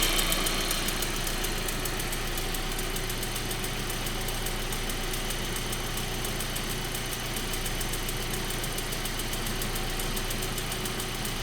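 Steady idle with a fast, light metallic tick, roughly four a second, riding on top of the engine note; cause not identified.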